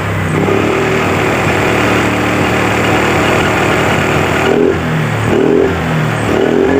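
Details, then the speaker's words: Honda Vario 125 scooter before repair, brake held and throttle opened to high rpm: steady drone, then revs sag and waver with no power at the top, injection warning light on. Cause: broken speed sensor (speedometer) wiring, with no speedometer needle reading. "ya di bagian lampu indikator injeksi ini selalu menyala Nah itu bermasalah di bagian spedometer ya di bagian kabelnya itu putus"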